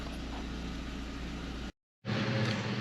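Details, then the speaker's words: 2004 Volkswagen New Beetle petrol engine at idle after the pre-catalytic oxygen sensor in the manifold was replaced for a P0030 code: steady, even idle with a smooth low hum, no misses or rattles; no codes return and the check engine light stays off. "let's see if it starts again with no check engine light cool i'm gonna call it a success"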